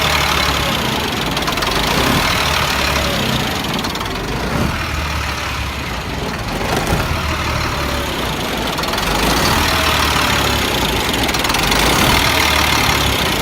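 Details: 1999 Freightliner diesel truck with hard start/no start and surging; idle speed sags and recovers over several seconds with lumpy clatter, blue-gray exhaust smoke, can stall; owner suspects bad fuel pressure sensor, not confirmed.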